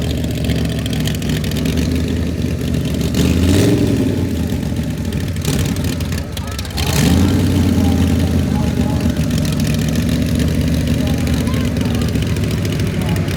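Engine idling and revving with an uneven, stumbling beat that breaks rhythm as it picks up; sounds like a misfire.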